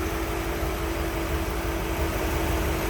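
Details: 1955 Ford Thunderbird, stock 292 V8, hood open, battery recently replaced: low, even rumble holding steady with no stumbles, knocks or ticks, very smooth running; normal idle.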